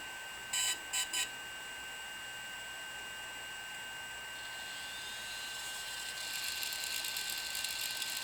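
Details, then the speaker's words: New DJI Phantom 3 Professional powered on: three start-up beeps, then a steady high whine with a faint rough grinding from the gimbal, constant while on; gimbal holder had fallen off in shipping, possibly related. "so I just received my phantom 3 professional yesterday and the first time I turned it on I noticed this kind of grinding noise coming from the gimbal and it's pretty consistent as long as the phantoms on this grinding noise persist"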